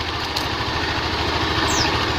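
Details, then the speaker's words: Automatic scooter CVT after extreme racing rollers caused harsh rattle and shaking, CVT reassembled, bearing not replaced; even, steady engine hum with no rattle or shudder from the belt drive, now smooth with no vibration. "Eh tidak ada getaran lagi sudah tidak kasar lagi"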